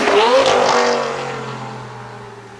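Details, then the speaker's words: 2004 Lamborghini Gallardo V10 after the factory exhaust was replaced with test pipes and a Supersport X-pipe: loud, clean, high-pitched scream climbing with revs, then fading as the car pulls away, smooth and even; healthy. "She absolutely screams. I couldn't be happier. I want to drive this car at about 7,000 RPM for hours on end. It just sounds absolutely amazing with the windows down, that V10 just screaming behind your head."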